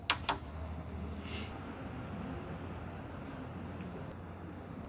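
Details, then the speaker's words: PC on a recent motherboard with memory and graphics card reinstalled: a couple of switch clicks, then only a steady soft fan hum as the screen comes up and it boots, with no beeps at all; normal boot with no POST beep. "화면 뜨고 부팅이 바로 됐는데 비품은 전혀 나지 않았죠. 아무 비품도 안 났습니다."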